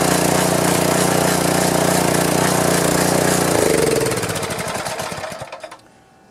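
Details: Power washer small single-cylinder engine, hard to start, after reassembly with governor spring and linkage, air filter off, choke and fuel on; fires straight up, steady even run before shutdown; normal start and run.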